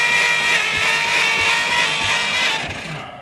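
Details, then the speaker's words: 1950 Dodge Pilothouse truck, flathead six, abandoned for years, on new battery cables: the starter whirs steadily with soft, even beats about four per second and little resistance. Low compression suspected, not confirmed. "that definitely does not sound like there's a lot of compression happening uh well for kicks let's throw some gas in it and see"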